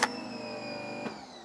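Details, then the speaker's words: Giraffe Tools Grandfalls wall-mount electric pressure washer on a 100 ft hose, drawing about 15-16.3 A: motor hum, soft clunk at switch-off, then a gradual downward slide in tone; slow ramp-down, owner suspects back pressure from the long hose. "now guys the issue that I see is obviously you can hear the ramp up and the ramp down take a little bit longer and I think it's because the back pressure of the long 100 foot hose"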